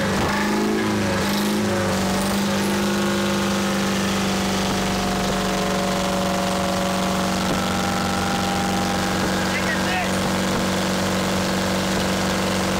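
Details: Champion motor grader with a Detroit diesel that sat locked up for 7 years, now freed: steady, even continuous drone, no knocking or seizing noises; the engine turns freely and runs normally.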